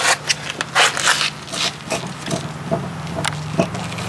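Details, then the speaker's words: Mitsubishi Canter Turbo truck, front wheel rocked by hand: irregular dull clunks and scraping from a badly worn kingpin with excess play; needs replacing, replacement being sourced from Mitsubishi. "this is kingpin is completely bad i can't really i can't really show you how much movements in that kingpin but you can hear"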